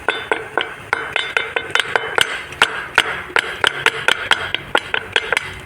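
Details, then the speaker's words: Fiat Idea front suspension: sharp, hollow knocks about three a second as the suspension moves; the plastic strut top mount is broken and knocking up top. Stabilizer link and steering tie-rod ends are also worn. "quando ele estraga que que acontece ele fica batendo aqui em cima ó fazend esse barulho aqui"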